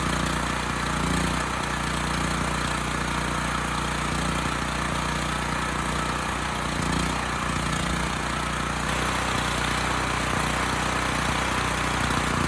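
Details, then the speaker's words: Homelite HG5000 generator engine test with temporary fuel line, air filters off, before stator and rotor replacement: steady even drone with no misses, knocks or surging; runs pretty well, a touch lean, possibly from missing air filters. "Okay, it runs pretty well. Touch lean, but that could be because I have the air filters off."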